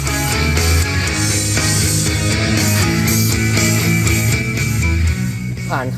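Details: Marshall Emberton speaker after repair. The customer had reported a short-circuit sound and shutdown at high volume. Music now plays loud and steady for six seconds with no dropout or crackle. It holds full volume normally, and charging is normal at 1.5 A.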